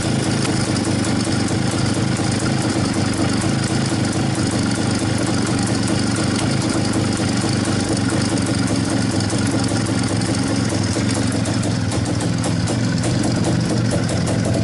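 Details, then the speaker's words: Izh-49 two-stroke motorcycle after piston knock repair with solid lubricant, fresh rebuild on fuel only: steady even idle with constant buzzy beat, no knocking or rattles; sounds healthy. "пока никаких звуков не слышно вроде все нормально"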